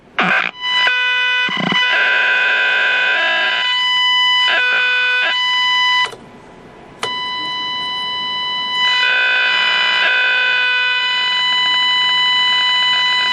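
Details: Packard Bell 35 AM tube radio under restoration, coils and tubes checked, nothing passing the IF stage; shrill steady squeals and harsh buzzing cutting in and out, no station audible. Squealing and buzzing instead of stations.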